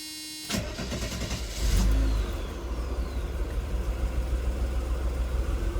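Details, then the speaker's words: 1992 Mercedes W124 300, formerly hard starting after work; rich mixture duty cycle, around 65%, turned down. Night start after adjustment: short crank, catches first try, revs briefly, settles to steady idle. Starting normal; fix appears to work. "on yeah all right so whatever I did seem to work cool so in closing I turn the uh the mixture down was uh running a little Rich"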